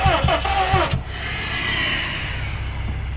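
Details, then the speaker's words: Salvaged crashed 2015 Subaru STI with new battery fitted: starter cranks in quick even pulses for about a second, never catches; cranks but won't start, owner suspects a crash safety cutoff or fuse. "so unfortunately we weren't able to start it seems like it wants to go but we think it could be a some sort of safety thing"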